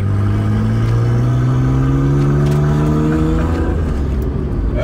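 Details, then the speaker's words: Nissan Skyline R32 GT-R driving away: very loud raw low rumble rising in pitch; downpipe, held by only two screws, separated with a bang, blowing exhaust. "it is like it's and it's even that does not sound good anymore it just sounds like it's going"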